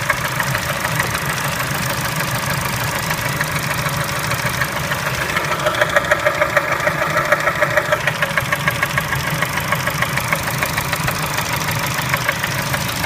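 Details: Kia Spectra engine at steady idle: sharp regular tapping about three per second over the engine note; internal knock, source unclear.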